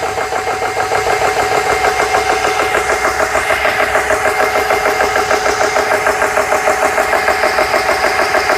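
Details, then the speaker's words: GX CS3 high-pressure compressor after repair, deadheaded with the set point at 4500 PSI. An even pumping beat of about three strokes a second, steady as pressure builds. Normal compressor running. "See if everything sounds okay. Sounds good so far."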